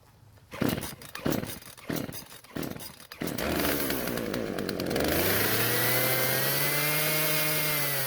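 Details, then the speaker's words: Husqvarna chainsaw that wouldn't start, after a new carburetor metering diaphragm; choke turned off while running. Rough pull-start bursts, then it races at high revs and won't idle. The low-speed mixture needs adjusting: L screw about half a turn counterclockwise. "aside from that it doesn't want to idle that means i need to adjust the l screw which is closer to the engine"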